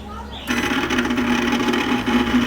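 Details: Microwave oven gives a loud, steady buzzing hum as it switches on and holds level; the motor under the uncut access cover is suspected as the noise source; loud humming noise.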